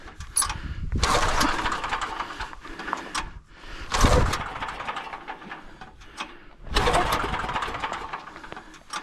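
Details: Generator with loose pull start, hard starting: three sputtering, uneven surges fading between pulls before barely catching; owner suspects carburetor.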